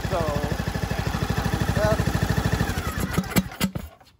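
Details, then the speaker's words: John Deere LA125, Briggs & Stratton 21 hp, 282 hours, previously ran terrible, after new OEM Briggs carb replacing aftermarket one plus new fuel filter, plug and air filter, valves adjusted: steady even putt-putt at constant speed, no misses or surging, then winds down and stops. "uh the only thing I do need to get is that bolt that goes onto here through the airbox is missing but it sounds really really really good now sounds awesome"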